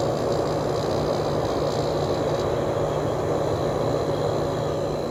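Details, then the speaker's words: Sharp 10,500 BTU window air conditioner, cleaned, Samsung fan motor with oiled bearings, just after startup and already cooling: smooth even low compressor hum with steady pitch that has evened out, no knocking or rattle; normal compressor run. "already starting to get cold compressor sounds great [Music] okay the compressor is pretty much evened out on this thing"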